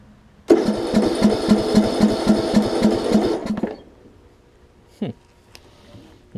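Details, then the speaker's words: John Deere LA105 lawn tractor that sat for a long time, after tank and carburetor cleanout with the fuel pump reconnected: it fires and chugs unevenly, then dies. Runs only on starter fluid, not picking up fuel. Fuel starvation. "so I know I'm getting fuel in there and I know it's just running on starter fluid at this point"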